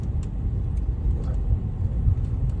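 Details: BMW 530d diesel after DIY replacement of a completely perished prop shaft centre bearing that caused transmission tunnel noise: steady low road rumble on the move, no drone or knock from the tunnel; driveline smooth and quiet.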